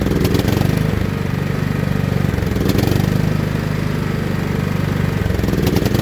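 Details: John Deere L110 lawn tractor's small single-cylinder engine, revived after sitting three years with its carburetor removed, catches and runs at a steady, even low thump with no misses; it is running fine on fresh fuel.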